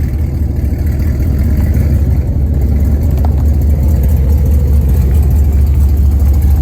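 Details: Hennessey Camaro V8 start and light revs after a wash: deep, lumpy idle with loose, uneven puffing from an exhaust leak on the passenger side after the long-tube headers.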